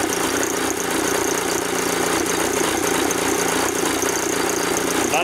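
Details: VW camper with freshly swapped AHU TDI diesel, first test drive: harsh, loud, uneven clatter at idle, sounding like a bag of hammers, with misfires and stalling; rough running, owner suspects something electronic, cause not pinned down.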